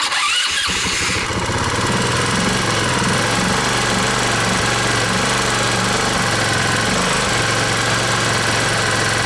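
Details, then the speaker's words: 150cc scooter after replacing a broken intake manifold spacer causing a vacuum leak: short crank, then fast steady idle about 2,500–3,000 rpm; runs better but idle still surges high at times, spinning the rear wheel; another leak suspected. "the bike is running a lot better but it's still acting up a little bit the idol will not stay steady and at times will go up too high and then the rear wheel starts to spin"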